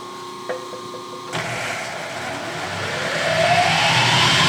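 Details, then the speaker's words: Clausing horizontal mill feed gearbox just oiled and buttoned up with all six bolts tightened, first test run: the drive starts quietly and builds to a smooth, rising gear whine with no knocks or grinding; normal. "I'm going to turn it on now and just proof it to make sure that this works properly"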